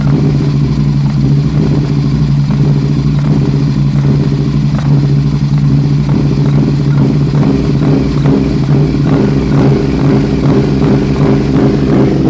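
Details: 2006 Aprilia RSV1000R V-twin, 1300 km after service, new plugs, racing cables, crank position sensor replaced, vacuum lines checked: idle with uneven stumbling pulses; possible misfire, small spark seen at front cylinder, cause unknown.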